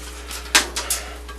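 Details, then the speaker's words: 1968 Ford Mustang's old, patched and leaking radiator shaken: sharp metallic rattles and clinks of loose lime scale shifting inside, a reason to replace it. "It's full of lime scale."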